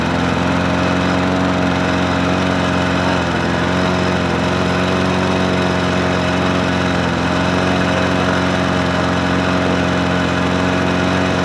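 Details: Murray 20-inch 4.0 HP push mower (20415x8D), a found mower, primed and started on a cold 53°F day: small single-cylinder engine holds a steady, even drone with no surging or misses; running normally.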